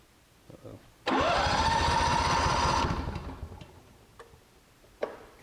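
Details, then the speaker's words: Honda generator that sat about 7 years with old gas, started after carburetor work with fuel confirmed. Catches for under two seconds, note rising then sagging and dying; fuel not getting through, shutoff solenoid suspected jammed. "we still we have fuel we're getting fuel we don't we just don't have a run we have somewhat of a kick something's trying to happen"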